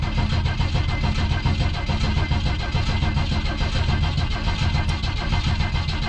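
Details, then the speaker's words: 1987 Coachmen Classic Class A motorhome, carbureted with a mechanical fuel pump, sitting a long while: strong, steady cranking with an even beat and no dragging; the oil light goes out as oil pressure builds. "See if it'll even crank over. Oh wow, it cranks surprisingly well. Let's let it go a bit."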